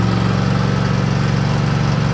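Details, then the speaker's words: Riding mower tractor warming up after starting: a steady low drone with a faint uneven pulse, as if one cylinder isn't hitting. The owner checked oil and fuel and found them fine; cause suspected, not confirmed. "It almost sounded like it was knocking. It was kind of popping bad. like just one cylinder wasn't hitting or something."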